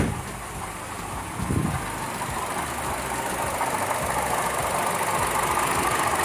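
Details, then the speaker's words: Buick Encore Ecotec 1.4L after valve cover replacement: steady, even idle with AC fan whoosh, no whine or wheeze from the PCV valve anymore. "I don't hear the whining and the wheezing from the PCV valve. This is just the usual fan because I got the AC on."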